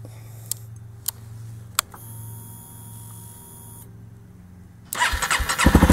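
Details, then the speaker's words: Honda CRF250L with freshly shop-fitted 305 big bore kit, very first start-up: a few quiet clicks, then the single fires and catches cleanly with a crisp, even beat and no rattle; exhaust header discoloured, owner suspects it runs hotter. Normal idle. "Hey, it's running. Seems to sound pretty good to me. The fact that it's not rattling is a good thing."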